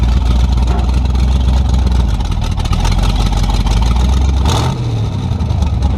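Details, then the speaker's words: 350 V8 with a tunnel ram and two Edelbrock 600 carburetors (1405/1406), after new metering rods and clearing plugged carb passages: pulls cleanly and evenly through the revs with no stumble or bog, much better than before. "does whoa definitely better oh yeah much better"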